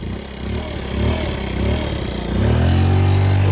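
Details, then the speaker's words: 50cc two-stroke scooter after used cylinder, piston and rings swap for low compression, carburetor re-tuned: buzz climbs steadily in pitch pulling away, clean with no misfire; little takeoff but good power band. "not a whole lot of takeoff but it does have a pretty good power band once it kicks in"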